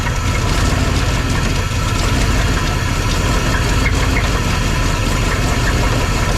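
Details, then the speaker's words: Engine idling in a new shop project: loud coarse idle with raspy ticking chuff over the rumble, steady; another exhaust leak on the passenger side. "all right that sounds real bad it's got another exhaust leak of some sort on the passenger side but uh yeah it don't sound good"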